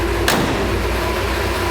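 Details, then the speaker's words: 1966 Ford F100 with new parts-store exhaust and Thrush glass pack muffler: even low idle rumble with soft, steady exhaust beat and one brief handling knock, much quieter than before; healthy idle. "see how we did. Oh yeah, much quieter. Much better."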